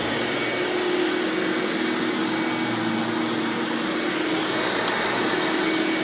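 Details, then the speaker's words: 1997 Hoover Dirt Finder Power Drive self-propelled upright vacuum, model U6331-930: steady, even motor whirr with constant hum, no surging, rattling or grinding; normal running. "turn this thing on and demo it for you guys so you can hear just how smooth this thing runs"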